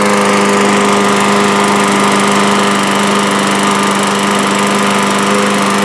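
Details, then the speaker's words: 2012 Murray lawn mower with a Briggs & Stratton engine, after carburetor work, oil top-up and blade sharpening (air filter was fine): a steady, even single-cylinder drone with no misses or knocks; running smoothly. "this one seems to run well enough and hopefully whoever I sell it on to its gonna have a nice little lawn mower"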